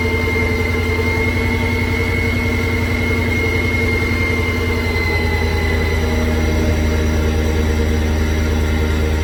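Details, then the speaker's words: After the ticking repair, the car idles steady and even with a smooth low drone and no ticking or misfire. The noise is fixed and the idle is nice. Normal idle. "the car is running perfect right now there's no hesitation no ticking other than you know the normal kicks that the type of car has come down here no noise so that is now fixed so you come back here has a nice idle"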